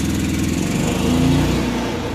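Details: Generator on a 2002 Alpenlite Santa Fe 11.5 ft truck camper, heard from a distance: steady, raspy single-cylinder drone at constant speed with an open exhaust note, consistent with a broken generator tailpipe.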